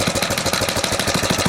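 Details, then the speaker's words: 1970 Rupp Scrambler small engine idling with steady rapid knocking of about eleven per second that goes away with throttle. The owner suspected the clutch banging and took the clutch off to check. "But you still hear that knock at an idle. I mean, you give it a little throttle in. It's gone. What the hell is that?"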